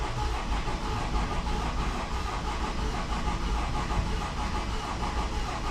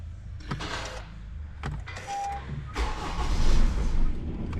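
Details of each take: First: Honda CR-V diesel with crank-no-start and injector 3 open-circuit codes, after injector repair and clearing the codes; several seconds of cranking to build rail pressure, then a smooth, even idle on all four cylinders. Normal start and idle. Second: Honda CR-V, codes P0203 injector 3 circuit open and P1043 injector 3 circuit shorted; short cranking bursts, catches briefly then stumbles, cuts and drags; crank no start from open or shorted injector circuit.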